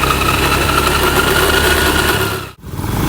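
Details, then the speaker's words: Honda Beat eSP K44 scooter before the gearbox teardown: a loud, steady droning hum, likely from worn final drive gears; after the overhaul it became very quiet. "Ini suara gearbox sebelum kita melakukan pembukaran ya."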